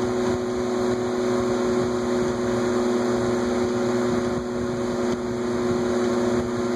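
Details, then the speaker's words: Vornado twin window fan after WD-40 to loosen old dried oil in the bearings; two steady motor hums at slightly different pitches, the left motor slightly lower but gradually rising to match. "i don't know if you can hear it's like two different pitches it's like applying two notes at the same time and the note on the left is just slightly lower but it's gradually increasing"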